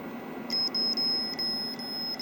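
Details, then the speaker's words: Logic probe on a known-good Moon Patrol arcade CPU board during bus-test looping, checking the data buffer enable line: high steady beep with short repeated chirps, the tone of a toggling signal. "and yeah we know it's toggling so let me hook back up the bad board and if that's not toggling that's definitely our problem"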